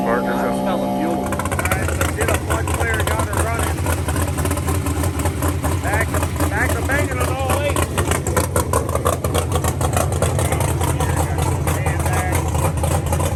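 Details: Drag race car (set up for Ultra Street, running X275 at Lights Out day two) after a broken cylinder-four intake rocker was replaced with steel rockers and a tune flashed to start without the coolant sensor plug: brief crank, catches, loud lumpy even idle with deep exhaust rumble; normal start.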